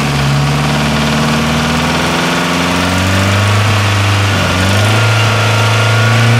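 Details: Nissan S13 with a CA18DET engine idling with a dull knock a few times per second that persists as the revs rise and fall. The owner is unsure whether the crank needs grinding; the cause is unconfirmed.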